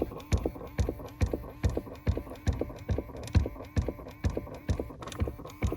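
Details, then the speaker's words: Chrysler Pacifica with engine off: steady dull clicking about two per second inside the dash from a failed recirculation door actuator constantly moving its flap; replacing the actuator fixes it. "And again, there's the constant moving flap or vent that is flapping and making that clicking sound. So DIYers, all these weeks or all these months that you've been hearing that flapping or clicking sound inside your dash, this is what is happening. Again, not normal."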